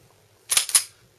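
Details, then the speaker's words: Taurus PT-111 Millennium Pro pistol, function check after field strip and cleaning: trigger pulled and slide racked; two crisp clean metallic clicks, trigger and slide working correctly. "Now when we release the trigger, we want to hear a nice little click. You could hear that as I let go of it. That's correct functioning."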